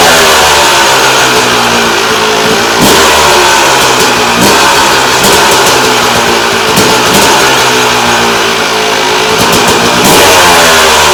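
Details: 2001 Yamaha YZ250 two-stroke during rebuild, picked up in rough condition (horrible air filter); crisp buzzy revving up and dropping back cleanly with sharp blips, no misfire, sounding much better than before; normal running.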